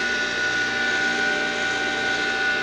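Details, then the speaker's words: Old water pump motor with contact points (platinado), probably unused about five years, first run after cleaning and reconditioning: steady, even hum with a clean high whine at one pitch and no knocks or rubbing, running healthy. "Esse motor é platinado né quando a gente liga aqui o platinado e desliga certa velocidade viu"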